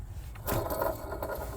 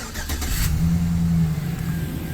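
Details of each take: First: 2008 Chevy Silverado LT 5.3L with belt removed, water pump pulley spinning freely: dry, gritty scrape; water pump bearings completely shot, other pulleys fine; pump being replaced. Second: 2008 Chevy Silverado LT 5.3 L Vortec after replacing water pump with worn bearings/pulley play: cranks, catches and settles into smooth low idle, no knocking or rattling; runs normally.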